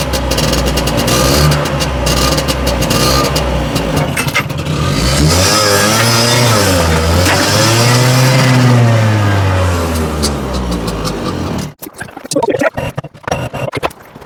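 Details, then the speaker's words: Two-stroke tuk-tuk, owner suspects the carb is badly out of balance: runs about twelve seconds with revs surging up and down unevenly, then dies in spluttering coughs; hard starting, uneven running. "But I think the problem is the carb's really well out of balance."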